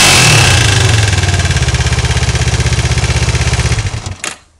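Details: Kawasaki GPZ 500S engine: the revs drop into a steady, quick pulsing idle before the engine shuts off; an unusual noise is present, but its cause is unclear.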